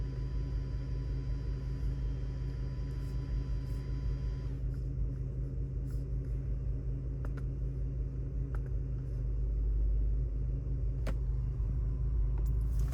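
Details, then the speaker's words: Audi D3 S8 with the V10, after a 30% throttle pull on the freeway; scan shows random multiple misfire, cylinder nine. Low lumpy idle with an uneven stumble. "Oh boy. Random multiple misfire. Cylinder nine."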